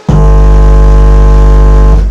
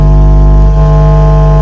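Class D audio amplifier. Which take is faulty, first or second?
second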